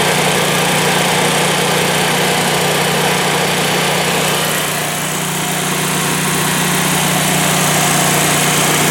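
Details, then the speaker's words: Generac natural-gas home standby generator started manually, unloaded, lid closed: steady even buzzing drone at constant speed, no misses, knocks or hunting; normal idle. "It does quiet down some when you close the lid, you can see."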